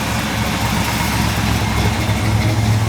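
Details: 1964 Impala SS V8 after carburetor rebuild with a Holley kit: deep, steady burble at idle with an even beat, no stumbling or misses; normal idle.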